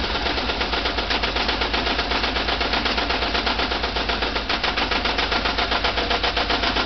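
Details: VW Type 4 2-litre flat-four running with sharp, even, loud metallic knocking at about four per second; engine knock whose cause still needs tracing.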